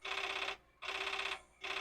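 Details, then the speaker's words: Commodore 4040 dual disk drive found filthy in a basement, spinning both drives after a disk reset: repeated half-second bursts of high buzzy chatter and head banging from the drive mechanism; abnormal read noise, with a disk status read error. "Oh, now it's funny. It's banging, but it's different."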